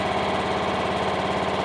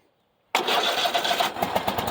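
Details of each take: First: Craftsman riding mower with 22 hours on the meter and a borrowed battery, idling on its own after first stalling on choke: steady, even single-cylinder chuffing with no misses or stumbles, a normal idle. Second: Craftsman riding mower, 22 hours, started on choke with a battery borrowed from a Cub Cadet; catches and runs with quick even pulsing, then dies, and on retry runs on its own: engine starts on choke then stalls.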